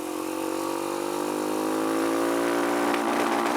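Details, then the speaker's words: Kawasaki KLX140 with newly installed KX65 carburetor, airbox lid off, dirty air filter: pulls up through revs with a slight falter near the top; runs fine at low throttle, rider suspects lean needle, needs richer setting. "it's the needle dude it's a needle and it looks like we need to make it richer because it does not run very good"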